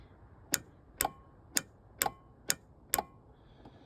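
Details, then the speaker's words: 2010 Yamaha Nitro, no start: on key turn, sharp single clicks about twice a second with nothing cranking; owner suspects a relay clicking, cause unconfirmed. "When I press the turn the key, nothing. Is that clicking a relay? you think?"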